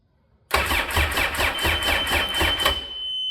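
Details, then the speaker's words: RXT after a rebuild, at its first start attempt: even starter cranking at about four pulses a second that never fires, with no gas reaching the engine. Crank, no start; the owner suspects the fuel pump. "No gas. All right, check some fuses. and see if I can't come up with something else. Otherwise, it'll probably be the fuel pump, I guess."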